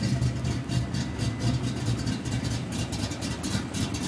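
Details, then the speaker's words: 1992 Ford Mustang GT V8, high compression, high-lift camshaft: steady even idle with regular choppy big-cam lope, no misses or knocks; healthy, stays under 180° in traffic with air on. "um car idles really well no idle issues car stays under 180° in traffic with the air on"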